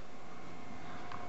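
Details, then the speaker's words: Marco/Nidek OPD Scan ophthalmic instrument after repair, power supply fans cleaned and bearings de-dusted: soft even whir with no rattle, buzz or scraping, like a regular computer; normal quiet cooling fan running. "nice and quiet sounds like a regular computer that sounds good"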